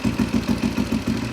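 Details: 1991 Husaberg 350 single-cylinder dirt bike after fitting a new fuel pump, which now delivers fuel flow; steady idle, even thumps about seven a second, no stumbling or misfires, now fuelling properly; fuel pump was the problem.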